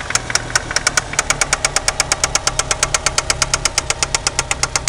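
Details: 1993 Eagle Talon turbo, stock 7-bolt engine: sharp, evenly spaced metallic knocks, nearly three a second, over a steady idle; spun connecting rod bearing confirmed by screwdriver piston-play test and oil pan removal showing rod-to-crank play.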